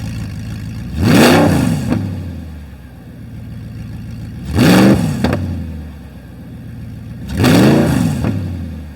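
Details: Crashed Audi R8 with muffler removed, revving: three hard blips, each a deep roar climbing sharply then falling to a rumbling idle, about 83–85 dB at idle and over 100 dB revved; very loud exhaust.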